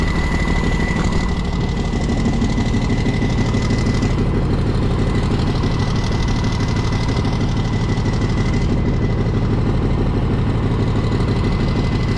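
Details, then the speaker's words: Homebuilt military mega truck, unrun over 9 years, on a makeshift fuel system: rough, lumpy idle with a steady high whistle over it; unidentified new noise, owner suspects the previously faulty air compressor working again. "is a new noise I have no idea what that one was maybe the maybe the air pump is working again"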